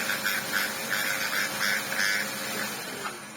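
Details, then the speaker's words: Electrolux motor, exposed with the linking part removed and plugged in, whirs unevenly, its high pitch surging in short bursts instead of holding steady; the motor is struggling. "Oh dear, what is going on with our motor?"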